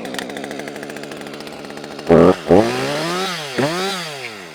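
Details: Husqvarna high-compression chainsaw, cold start using choke and compression release: pull-start catches on the second tug, then clean blips up and back to a steady, smooth idle; saw starts and runs properly.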